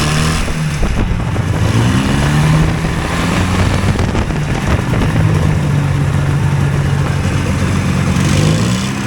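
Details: Hovercraft engine driving a shaft, loud steady drone held well above normal idle; idle deliberately left high because the drive pulls a load constantly, idle set by adjustment; high idle.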